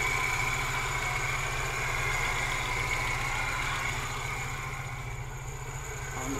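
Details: 1991 Moskvitch IZH 412 four-cylinder, near operating temperature, microphone at the engine, oil pressure mid-gauge: even steady idle with no knocks or misses; a smooth, healthy idle.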